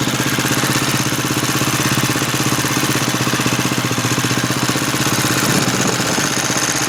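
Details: 2011 Husqvarna TE630 single-cylinder idling with a fast, busy whirring "blender" clatter about four beats a second, started before 100 miles; owner questions whether it is normal, cause not pinned down.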